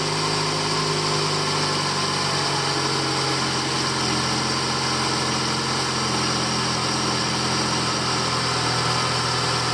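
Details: Ford Escape 2.5 XLT (2008-2012 second generation) at idle, serviced for belt tensioner and grooved pulley grinding/squealing: smooth, even idle with a steady hum and no squeal or grinding from the belt drive, normal idle.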